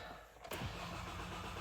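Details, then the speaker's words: 2014 Hyundai ix35 2.0 G4NA automatic, FWD, 102,000 km, first start after repair of scored cylinders and piston knock: short crank catches cleanly, settles into smooth, steady idle, no knocks, no errors. "так давлени Пошло всё автомобиль у нас заработал никаких ошибок никаких посторонних шумов бяков ту ничего нет"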